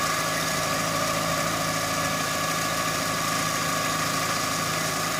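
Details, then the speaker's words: Chevrolet Optra 1.6 that came in stumbling, with rpm swings and stalling, after timing was set to the marks and the belt refitted: quiet, even idle with a steady hum and no stumbles, shakes or misses. "ครับการแล้วมันก็จะนิ่งขึ้นนะครับมันจะไม่กระตุกไม่อ่าไม่สะดุดนะครับมันจะนิ่งไป"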